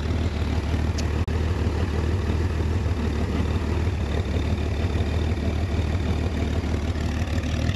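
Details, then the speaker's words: 1966 Chevrolet Corvair Monza convertible, six idling in neutral right after a clean start: steady, even low burble with no misses, knocks or ticks; purrs, runs smoothly and sounds healthy. "ouais ça ronronne bien comme on dit ça tourne rond"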